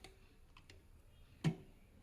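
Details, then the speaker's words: Singer 298 FashionMaker on zigzag stitch: sparse light ticks, then a sharp metallic hit and squeak as the needle strikes the back left of the throat plate. Left-right clearance is fine, so a front-back needle bar position problem is suspected. "Yeah, see that it is striking the back of the throat plate at the left and the, yeah, it's striking. Okay, give it a little nudge. Yeah, you can actually hear it squeak."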